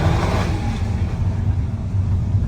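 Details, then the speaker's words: 2011 Volkswagen EOS 2.0 TSI turbo at wide open throttle after fixing misfire (OEM PCV/crankcase breather valve and timing cover gasket vacuum leak): smooth even roar, no stumbling, no misfire codes. "So, no more misfire codes. Look at this thing. It's irreling. Perfect. Wide open throttle."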